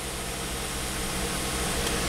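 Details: Volvo wagon after crank no-start repair, codes cleared: steady, even idle hum with no knocks, misses or surges; fuel pump controlling pressure around 43–55 PSI at 50% duty cycle; normal idle.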